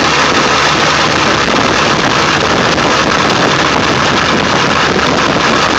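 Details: 1999 Ford F350 7.3L diesel, cold start after sitting for days, plugged in overnight, no check-engine light: loud steady clatter at idle with an uneven shaky pulse, no clear knock; rough cold idle, smooth after restart; cause unknown.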